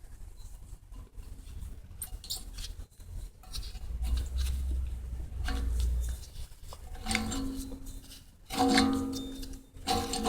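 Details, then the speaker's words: 1990 Acura Integra front hub removed from the car and turned by hand gives rough, gritty grinding in bursts; the wheel bearing is gone and will barely spin, and it needs pressing out at a shop. "I mean, that bearing is gone. It doesn't even want to spin freely."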